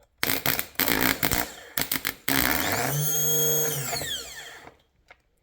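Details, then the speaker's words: 2005 Polaris Sportsman 500 HO EFI with new replacement starter; a few short taps then a clean two-second spin rising and falling smoothly without grinding, unlike the worn old starter; normal starter spin. "when you spin it sounds smooth versus the old starter that was just beat the hell"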